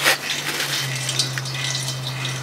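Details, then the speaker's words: Homemade vacuum tank driven by refrigerant compressor de-watering a car hoist hydraulic ram: under steady low pump hum, fluid gurgles and splashes into the tank bottom, showing normal suction. "yep i can see fluid coming down the clear tube i don't know if you guys can see that yep i can hear it oil start to hit the bottom of the tank"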